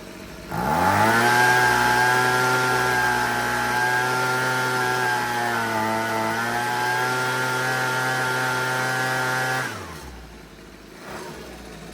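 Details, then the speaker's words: Husqvarna 125B two-stroke leaf blower after repair, just after adjusting the carburettor high-speed screw, still no air filter (final tune pending). Revs up sharply and holds a clean, steady high-pitched tone without hunting, then drops off; running right. "That's perfect. I mean, obviously, like I said, I'm going to have to touch it again once we get the air cleaner in, but let's try to blow some leaves."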